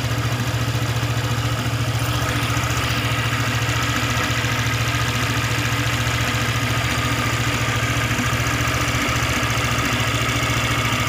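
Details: Honda PCX 150 during tune-up and valve adjustment for an unstable idle complaint, air filter not yet fitted, CVT not yet cleaned: smooth, steady idle with an even beat and light valve tick, no irregular clatter or misses; normal idle.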